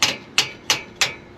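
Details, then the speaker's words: 1968 bus engine with a known stuck valve, valves tapped lightly with a hammer to check: four crisp, evenly spaced metallic taps ringing cleanly as this valve springs back freely. "you hear that noise that's good you can hear it springing back here springing back you really hear that one's bringing back"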